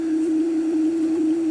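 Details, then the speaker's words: Centennial PR 82 vintage cassette recorder before repair, playing a cassette; held tone wavers slowly in pitch while speed sounds steady — wow and flutter. "The speed sounds steady, but the sound is wobbly."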